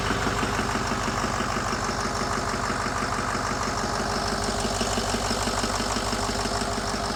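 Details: 2008 Ford E350 diesel, mostly rebuilt engine, just after its first start with no coolant or radiator fitted: a steady idle with an even clatter at about two beats per second and no misses or knocks. Oil pressure is up; IPR slightly high from air in the system.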